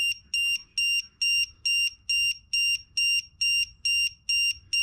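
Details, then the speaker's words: E-Flite Turbo Timber 1.5m RC plane: loud shrill beeps about twice a second, evenly spaced; lipo low-voltage alarm set too high (3.9V) tripping as a cell reads 3.88V; battery low-voltage alarm. "Screaming at me. Wow, Sam. That is loud. Oh, is that 3X? One of the cells is at 388, that's why it's going off."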